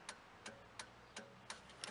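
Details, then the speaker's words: Rebuilt diesel, engine off: crisp evenly spaced clicks about three per second, glow plug relay clicking in step with hazard lights; wires found corroded or melted into insulation, fault to be checked. "The wires are actually corroded or melted off into the insulation there. You can actually hear the glow plug clicking with the actual hazards."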